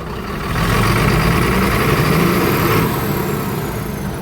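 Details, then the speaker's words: Mercedes diesel truck misfire: engine hunts with a sharp, uneven, stumbling beat and struggles to rev; scan tool later reads a current fault on the cylinder 4 unit pump; misfire. "you can hear that the engine's hunting. Not necessarily hunting so much as got a quite a sharp cat. You hear that? So, if I rev it up, you can hear it really struggles to rev up."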